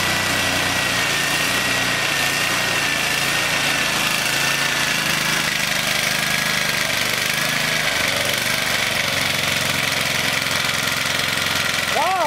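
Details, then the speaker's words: English Suffolk Super Colt vintage petrol engine, clamped to a weed eater stand after manifold and ignition help, running after choke off: fast, even buzzing run holding steady with no misses or knocks; runs smooth without vibrating off the bench. "Wow, this runs pretty smooth. It's not vibrating everything off my bench."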